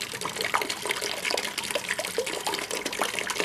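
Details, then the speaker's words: Boiler drain valve opened to flush the heating system won't close: water keeps gushing and splashing without easing; not the rubber seal, a debris chunk was lodged in the valve. "i turned down the boiler drain to drain the water and flush the system a little bit and it won't close so i figured well the rubber seal must be bad but that's not the problem"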